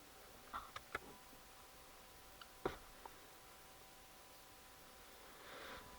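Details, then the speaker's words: Volvo V50 D5 SE, Euro 4 2.4 L five-cylinder diesel, EGR valve commanded to 0.5 percent by diagnostic tool: quiet sparse clicks and short soft whirr as actuator moves freely, no binding or grinding; position sensor judged faulty (codes 4450, 44D0, limp mode). "okay so now if you look now we got 0.5 percent and we got some movement here so if we cycle that we can hear it's moving and you can hear something there so"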